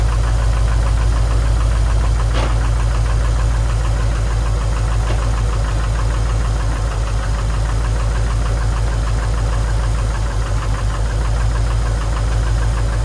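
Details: Rebuilt Subaru STI engine running: loud, heavy note with an irregular low knocking a bit over three times a second riding on the idle; owner links a weird noise to the clutch assembly shifting and a suspected cracked firewall, unconfirmed.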